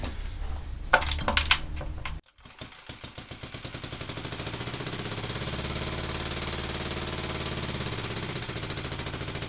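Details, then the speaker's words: Barford Atom's small single-cylinder engine, restarted on a little fuel, propped on bricks, recorded right next to the muffler: catches after a few rough bangs, then settles into a steady, even beat about two firings per second; good spark. "this sounds like it's got a good spark"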